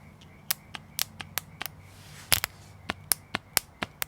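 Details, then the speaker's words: Bosch 044 or 070 fuel pump gummed up after sitting dry for two years, powered from a regular battery: sharp dry thumps, three or four a second, with no motor whir; pump stuck, won't spin. "hear that thump thump noise that's all it does"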